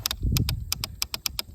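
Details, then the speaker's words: 2008 Kawasaki KLX140 pit bike, electric start pressed: only sharp rapid clicks, about six per second, engine never turns over; previous owner said the electric start doesn't work; solenoid suspected, possibly the starter, unconfirmed. "hear the clicking all right so honestly that just sounds like a Sil a solenoid click uh selenoid click so I'm going to mess with that could be the starter also"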